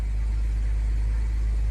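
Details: 2006 BMW 325xi, N52 engine, automatic, AWD, after injector, oil leaks, AC compressor, muffler and front control arms were repaired: steady low idle hum with no knocks, ticks or misses. Normal idle.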